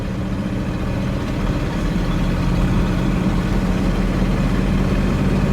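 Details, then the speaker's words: 1962 Cadillac Sedan DeVille with a Jetaway automatic, pulled from a desert, after diagnosis: steady low engine drone rising gently under load, no flare or clunk; shifts slow but all gears work, normal shifting. "all right you ready yeah feel it yeah kind slow but it doesn't yeah it goes all the gears are working working I'm satisfied"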